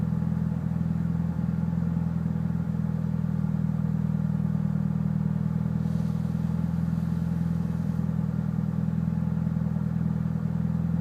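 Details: Mitsubishi Evo VIII with cams and a tune, MAF and intake clean and serviced regularly: low, lumpy idle with an uneven beat and occasional stumbles; the cause of the rough idle is unknown.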